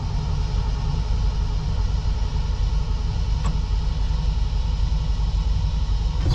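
A steady, even V8 rumble with a regular beat and no knocks, misses or stumbles; it caught easily and runs healthy.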